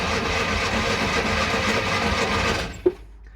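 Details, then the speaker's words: Classic Fiat 500 after adding a starter-to-block earth strap, no fuel in engine: brisk, even cranking about four beats a second for nearly three seconds, no dragging or clicking; starter now spins engine properly. "okay that sounds about a million times better than it did before it's now actually spinning over correctly"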